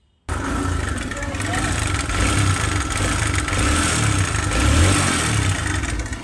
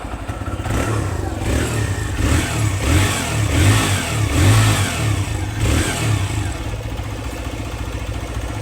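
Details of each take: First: TVS Raider motorcycle at about 2245 km, idling with a loud, uneven clattering rattle over the engine beat; timing chain found very loose once opened up, and the old chain is removed for replacement. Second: TVS Raider motorcycle at 2245 km after timing chain replacement: repeated blips rise and fall cleanly with an even exhaust note and no top-end rattle; earlier bad engine noise fully gone, normal running.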